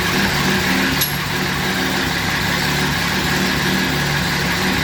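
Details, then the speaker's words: 2010 Camaro SS with turbo Vortec 4200 inline-six swap, just after its very first start, lit off right away, run briefly without coolant: even steady idle drone over mild hiss, no knocks, misses or ticking; healthy idle. "I was kind of amazed at how well the car started being that it was literally the first time we ever uh tried to fire the vehicle it literally lit off right away"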